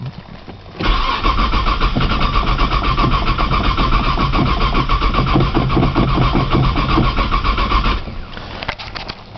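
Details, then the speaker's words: 1995 Nissan Maxima, 210,000 miles, push-button start, cold snowy day, new battery, owner suspects bad sensor: about seven seconds steady cranking near four beats per second without firing; long crank, no start after minutes cranking. "try priming with fuel again man she does not want to crank today"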